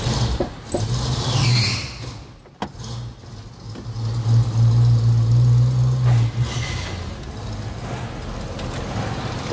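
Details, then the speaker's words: 1956 Chevrolet: V8 catches almost instantly, starting on the first turn, and settles into a steady, even idle with no misfire or knock; a healthy start. "sa petite pièce qui démarre au quart de tour c c'est incroyable 7 56"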